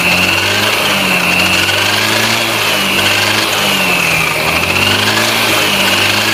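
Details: Chinese 157 engine with a steady, slightly wavering drone and a thin high whine over the running engine; the variator is humming, cause unclear.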